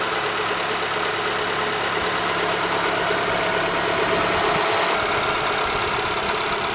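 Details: ZAZ Forza at 2,500 km on fresh 5W-40 synthetic oil: a light, fast petrol-idle ticking about three per second that persists when warm and drops out briefly on throttle blips; suspected lifters or injectors, and it seems to come from an external unit, not the engine.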